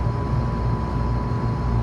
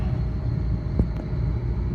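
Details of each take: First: Three-phase scroll compressor on a walk-in remodel after swapping two power legs, now turning the right way: a steady low hum with a faint even tone and no clatter, and suction pressure is coming down normally. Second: Newly installed three-phase scroll compressor at first start-up on a walk-in cooler remodel, running backwards: a steady low drone with a single click, and suction pressure does not drop. The fix is to swap any two power legs.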